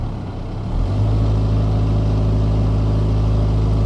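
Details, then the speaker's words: 2000 Toyota Camry with check engine light, power-braked in drive under load: low drone with an uneven stumble of about four beats a second, cylinder 4 misfire (random multiple-cylinder misfire code). "I'm power breaking the car with it and drive let's try a neutral that was a misfire but it didn't pick it [Music] up"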